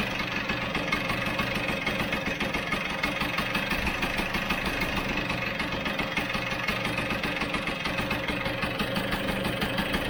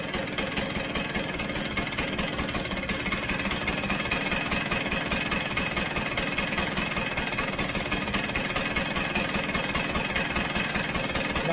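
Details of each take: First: Vespa GS150 two-stroke, warm, cowling off, carburettor air screw turned in about two turns: a buzzy idle with an uneven beat, speeding up and slowing, with spit-back and occasional skipped firings. The air screw setting is incorrect. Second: Vespa GS150 two-stroke, warmed up, cowling off, after carburettor adjustment: a slow, even knock-knock beat at idle, roughly two to three a second, steady with no stumbling. The carb is properly set and the idle is healthy.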